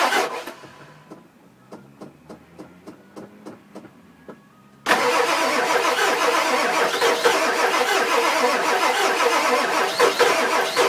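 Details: 2000 Ford F250 7.3 diesel, 208k miles, everything under the valve covers new except the injectors, new cam position sensor: slow, even cranking, about two beats a second, never fires; crank, no start, owner suspects injectors.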